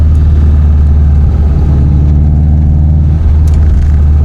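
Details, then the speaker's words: Subaru built WRX block with EJ257 crank, ACL bearings, forged JE pistons, after winter break-in, heard from cabin while driving: heavy rumble with rapid regular knock; owner suspects piston skirt slap, unconfirmed. "Мотор слышно, как стучит юбка поршня даже из салона."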